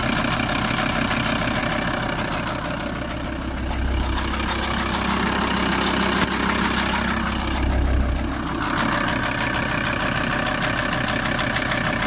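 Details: VW T4 TDI 150 diesel engine: rough idle with a steady, fairly regular knock about three per second over the clatter; engine knock at idle, source not pinned down.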